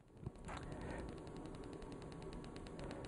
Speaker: you can hear that clicking now what happens is that you turn up the volume the frequency act the frequency of discharges actually decreases